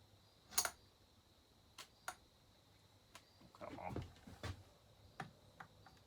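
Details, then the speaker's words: Husqvarna 1100CD chainsaw being torn down to find a vibration, engine off: sparse light clicks each time the crank is rocked up and down by hand; a worn crank bearing or worn small-end rod is suspected. "yeah something's going on with that bearing I believe that bearing the wore out I move it up and down hear that"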